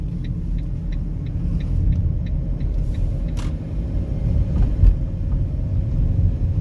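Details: Fiat Doblo 263 front suspension rattle and clunk persisting after drop links were replaced, with no play found in any ball joint or the steering rack; rough-road rumble with light rapid ticking and sharp knocks over bumps, source unclear.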